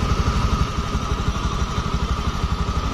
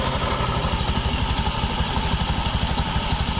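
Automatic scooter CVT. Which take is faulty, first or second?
second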